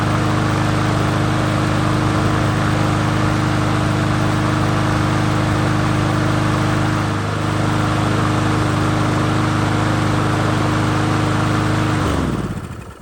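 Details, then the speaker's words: Troy-Bilt XP push mower that leaked gas and backfired when hot, after a new fuel line, a loose carburetor being secured and the valves adjusted: small single-cylinder engine holds a steady, even beat with no hunting, then shuts off cleanly; running normally. "not even hunting looks really good now"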